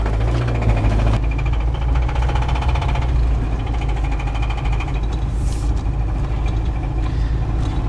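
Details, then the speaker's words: Isuzu Trooper broken down at a rental car lot, described as knocking pretty hard, with the oil light flickering. A heavy regular knock keeps time with a rough rumbling idle. Rod knock from a spun rod bearing. "mother says it's knocking pretty hard so i'm sure she's right oh yeah it's a rod knock"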